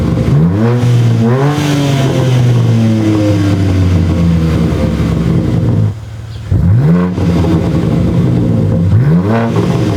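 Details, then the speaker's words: BMW G80 M3 free-revving right after installing an AWE Track exhaust with no tips, already resonator-deleted with a Dahlia H-pipe: loud deep blips rising and falling cleanly, pause, more sharp revs; louder but not as loud as expected; normal revving. "It's definitely louder. It's actually not as loud as I thought it would be."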